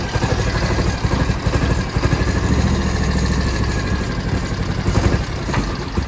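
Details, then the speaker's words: 2006 John Deere X720, about 722 hours, hot after an hour of hard mowing: deep V-twin idle thumping unevenly with skipped, clattery beats, right cylinder missing; clears once cool, persists after plug swaps, cause unknown. "it would start missing on the right side cylinder here and what I would do is I could pull the plug wire off that side and it would drop out"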